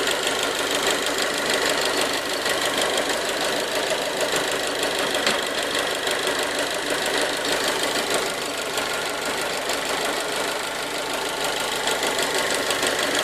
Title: bruit moteur 1.4TJet 155